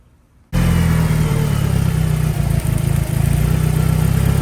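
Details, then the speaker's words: 1990 Mitsubishi Eclipse GSX after engine install, DSM link not yet connected: silence, then engine catches at once and settles into a steady, even idle with no misfires or knocking; running normally. "There she is. There she goes. So she's running. I haven't plugged in the DSM link yet, but everything seems to be running pretty good."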